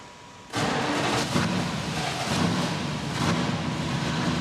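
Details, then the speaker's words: 1969 Dodge Charger V8, not started in 24 months, start after fitting a fresh fuel pump: catches abruptly, fires cleanly and settles into strong even rumble at idle; healthy. "There we go, excellent. That is amazing. Sounds so good. Oh my God, that V8 is just such a great engine."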